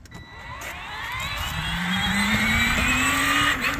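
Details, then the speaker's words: Power Wheels ride-on upgraded from 24 V stock battery to 20 V DeWalt lithium packs, not geared for speed: rising, smooth electric motor whine climbing in pitch as it accelerates; lower voltage audibly changes motor sound, more amps available; motors running normally. "oh yeah this thing's a champ so this particular one is not geared for Speed and we technically decreased the voltage anyway"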